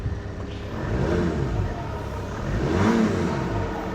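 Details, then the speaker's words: Mercedes with a non-turbo engine: two smooth throttle blips that rise and fall cleanly, with no knocks or rattles. The engine is revving normally and sounds healthy. "but that does sound lovely that is lovely not turbo it's got a lovely set as well"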